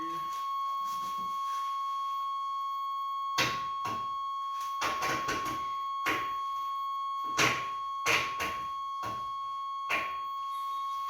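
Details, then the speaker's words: 1989 Chevrolet Suburban, 350 TBI with 700R4, sat 15 years, battery connected, transmission in neutral, engine not running: a continuous high-pitched dash warning buzzer under a few clunks; the buzzer works. "Well, we got a buzzer. That's a start. That means something's connected yet. Rats didn't chew everything up."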